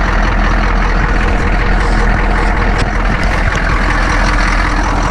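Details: Ex-military Humvee (HMMWV) diesel with leaking fuel transfer pump awaiting replacement, idling after a hard cold start: deep steady clatter, even and settled with no knocks or misses; running normally, just noisy.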